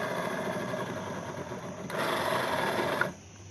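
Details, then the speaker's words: Yamaha Mio M3 scooter rear wheel spun by hand gives a coarse, rasping grind from worn final reduction gearbox bearings; the gearbox seal was leaking heavily. "Nah suaranya seperti itu teman-teman Kasar banget ya"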